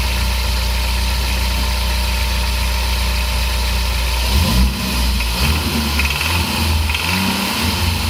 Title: Knocking sound under part throttle